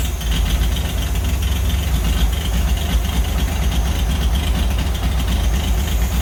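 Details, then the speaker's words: 1940s Oliver 70 tractor's first start in about 12 years, with the choke worked by hand. A deep, loping, stumbling idle as if one cylinder drops out; the owner suspects old plug wires, points or condenser: engine misfire at idle. "well it's really hard to tune the carburetor when you have such an obvious misfire"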